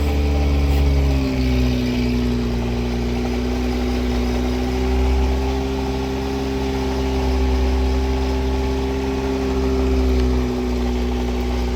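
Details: Wrecked 1988 Ford Ranger restarted: even, steady idle, low drone with faint rise and fall, no knocks or misses; normal idle.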